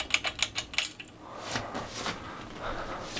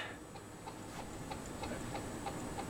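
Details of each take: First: 42-inch Canarm Mystic ceiling fan, early black-motor version, on low speed: after a few clicks, a quiet, even hum with a faint steady whine and no knocking or wobble; it wobbles on high. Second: 42-inch Canarm Mystic ceiling fan, early black-motor version, filmed in 2014, running with light on: light squeak repeating about three times a second with rotation over a quiet room; it also wobbles a lot, cause not found.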